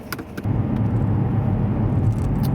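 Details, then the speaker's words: Alfa Romeo Brera V6 on a highway test drive after replacing the faulty ignition coil and spark plug that caused a misfire: after a brief rattle, a steady, even drone with no stumbling or surging; feels much smoother, misfire apparently fixed. "definitely feels much smoother maybe maybe he's fixed the problem"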